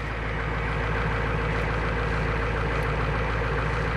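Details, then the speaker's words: 1990 Ford E-350 Goshen bus, 7.3L diesel, idling just after cold start with battery chargers, fuel filter recently changed: steady low clatter with even rhythm, no stumbles, knocks or squeals; healthy running engine. "Well, good to hear she's running. Back, you almost can't hear it back here."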